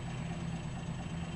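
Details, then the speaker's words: Truck, after the carburetor repair: a spacer was added on the throttle-lever pin so the lever no longer catches on the carburetor body. It now settles to a calm, even, low idle with no racing. "so I put a spacer and pulled it in and now it goes up all the way in it doesn't idle as high either"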